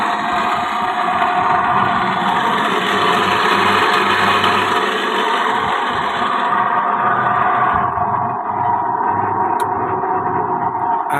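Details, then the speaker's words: Hitachi twin-tub washing machine spin tub running: loud harsh steady grinding roar with whining edge; spin motor bearing failed because water leaked and dripped onto the motor. "สาเหตุมาจากตลับลูกปืนอ่ามอเตอร์เสียนะครับเนื่องจากว่ามีน้ำหยดลงไปถูกมอเตอร์นะครับ"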